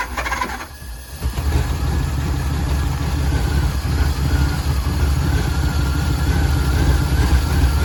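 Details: 1949 Ford shoebox converted to 12 volt, unfound battery draw, quick-disconnect fitted: it catches after a cough, then an uneven, lumpy low rumble with irregular pulses, smoking and running rough.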